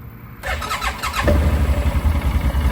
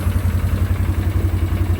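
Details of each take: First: 2009 Arctic Cat 1000 quad, starting up after spark plug work: starter whirs briefly, engine catches within a second and settles into an even, steady low thump; clean, healthy start. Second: 2009 Arctic Cat 1000 quad, not run in a while, slow initial crank: lumpy, uneven idle, seemingly on one cylinder then both; intermittent misfire, owner unsure whether low battery voltage, weak starter or bad solenoid.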